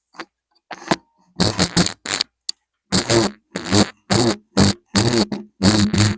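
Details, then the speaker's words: Sailrite Fabricator industrial sewing machine: sharp, dry squeaky bursts about twice a second in step with what the owner guesses is the knee lift (presser-foot lift) assembly. The owner dislikes the noise; he had found it cranked to maximum, then loosened it and heavily oiled things underneath, and says it is much better now. "So the noise that I don't like is coming from, I guess, the knee lift assembly, what lifts the foot up and down."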